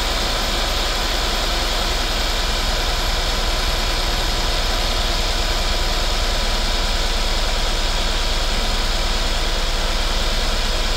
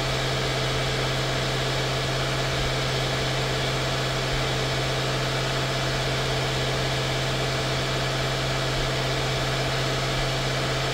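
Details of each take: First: 2016 Mercedes-Benz S550 W222 after spark plug and ignition coil service: uneven low thumping idle with irregular beats under a loud hiss; misfires because the coil connectors were left unplugged. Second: 2016 Mercedes-Benz S550 W222 after ignition coil and spark plug service: steady, even idle with smooth low hum, no knocks, misses or surging; normal idle.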